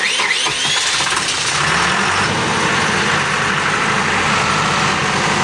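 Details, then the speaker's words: After fuel filter, oil filter, air filter and oil change service, a 110 kVA Allied/Cat diesel generator, its fuel primed for about 180 plus 80 seconds, starts quickly and settles into a steady, even idle with clatter and no misses, running healthy. "अभी generator जो है वो हमारा start हो गया है।"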